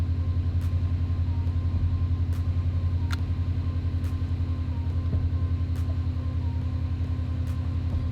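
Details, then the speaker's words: Rebuilt Subaru STI boxer engine at first start with new exhaust fitted, warming up to temperature: low, steady rumble at a slow, even idle, regular pulses, no ticks, knocks or misses. Normal idle after rebuild. "But let's get this thing up to temp, make sure everything's good to go, and it sounds really, really happy, so super stoked with that."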